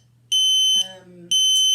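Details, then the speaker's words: Ventis MX4 multi-gas monitor with the pump inlet covered and the audible sensor partly muffled: shrill half-second beeps repeating about once a second, the pump-blocked alarm, confirming the safety works; it restarts by itself once unblocked. "that our safety is working and that we can go ahead and use this in the field and again that will just restart by itself okay once the once the blocking is gone"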